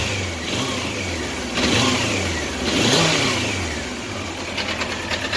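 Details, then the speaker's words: 1993 Honda CBR900RR in restoration, long sat: four-cylinder revving slowly up and down with a faint quick tick near the end; owner suspects blown exhaust header gaskets at cylinder head. "And it also sounds like it's got a little bit of a tick from the exhaust from the header. So I'm going to have to replace the gaskets that go into the header at the cylinder head itself."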